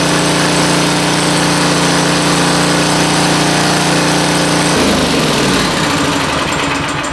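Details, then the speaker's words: 1970s red Craftsman 2500 W generator revived, smoking: even, steady engine drone, smooth tone that drops and settles, no knocks or misses; runs well, normal running. "well it ran sounds pretty good seems to be running pretty good"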